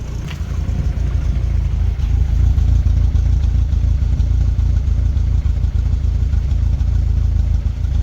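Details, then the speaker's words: Rover 25 GTI, 1.8L VVC, misfire at idle persisting after rocker cover gasket change, system bleed and Wynns injector cleaner: low, lumpy idle with an uneven beat, slightly less vibration at the wheel; cause still unknown. "definitely still a misfire there. Yeah, the misfire is definitely still there"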